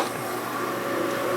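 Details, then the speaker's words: Milling a 1971–72 Harley shovelhead 74ci FX cast-aluminium inner primary cover after a weld repair, 0.050 pass: an even, steady cutting tone with no chatter or squeal. A clean, decent cut. "so that was a 50 pass which sounds like a pretty decent cut"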